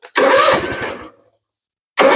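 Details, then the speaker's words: Cub Cadet ZT2 50-inch mower, Kawasaki FR691V engine, ~300 hours, after oil, fuel filter, air filter and plug service, started at half throttle on choke with empty fuel filter: catches straight away, runs strong and even, brief quiet gap, then picks up; no issues. "Sounds good, no issues."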